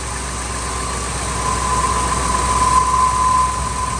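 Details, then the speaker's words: 2000 Ford F250, 5.4 2V V8, freezing weather, rough idle on cold start, no trouble codes. After throttle body and IAC cleaning, it idles steady and even with a smooth low rumble and no stumbles, already running better. "it's running it's running better already guys I'm expecting this to clear up"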